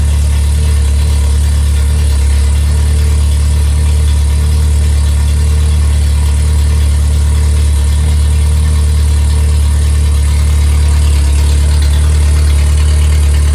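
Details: Rebuilt MG Midget / Triumph Spitfire 1500 performance engine (shaved head, flat-top pistons, enlarged intake valves, 270 cam, balanced rotating assembly) running on the stand, revved slightly: steady, even low rumble, no knocks or ticks; healthy.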